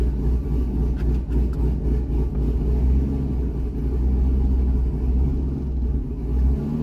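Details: C6 Corvette V8 after cam and header swap, new HP Tuners tune targeting 825 rpm idle: deep lumpy choppy big-cam lope settling into steady idle; normal.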